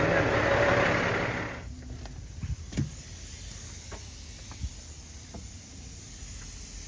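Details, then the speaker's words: Truck tractor not started in over a year, just shut down after the governor kept going off; strong steady hiss for a second or two then quiet with odd clicks, an air leak the owner suspects may be the brakes. "that's a pretty tough leak might be my brakes huh I don't even know what I'm looking for either it was my first time ever hearing that but y'all hear that huh that's a pretty strong his"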